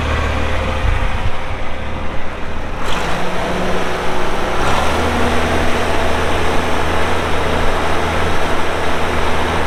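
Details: 1984 John Deere 4050 tractor with a JD 466 diesel, 3,342 hours, cranks and catches in about three seconds, then settles into a steady, even low idle with no knocks. Normal start and idle.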